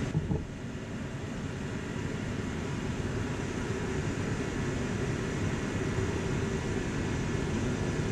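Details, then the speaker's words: Dyna-Glo Workhorse 65,000 BTU forced-air torpedo heater with spark ignition, air adjusted for cleanest burn: steady, even low roar from fan and flame without sputtering or surging; no smoke at thermostat shutoff, burning cleanly. "you can see the thermostat works i just turned it off it's not smoking when it shuts off so it's burning pretty clean"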